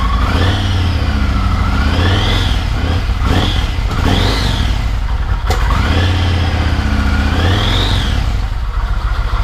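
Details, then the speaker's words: Yamaha MT-01 V-twin during an oil change with Penrite fully synthetic 20W-50, revved a few times to circulate the oil: a deep, even idle with smooth throttle blips rising and falling cleanly and no knocks, so it is running healthy. "Give it a rev 2 or 3 times, half a dozen times. As soon as you finish, put the rest in."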